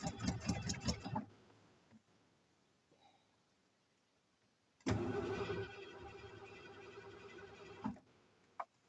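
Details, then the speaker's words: 460 V8 van after being primed with fuel, throttle not stuck: the starter churns the engine over in two long bursts with a quiet gap between them, but it never catches. No start; spark is to be checked next. "Okay, I guess uh have to check spark."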